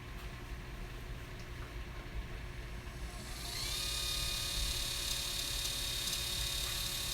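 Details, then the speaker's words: Automated camera slider's pan motor on battery power, run bare before any weight is added: a steady whir, then a thin high screech rises in and holds; its cause is unknown. "know it's a little bit of a screech don't you think"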